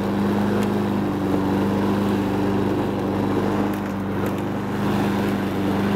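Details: Honda Harmony 215 mower engine, warm, after a third carb cleaning; the low-end idle mixture screw broke and could not be cleaned. Steady, even single-cylinder drone with no stumbling, misses or hunting; normal running.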